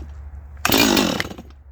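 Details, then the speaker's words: Holzfforma G255 (MS 250 clone) chainsaw, expected to fire first pull before high-side tuning: one short rough burst on the pull, then dies instead of running; failure to start, something wrong. "all right so that's not good what it just did that's not good what it just just did should not have done that should have fired right"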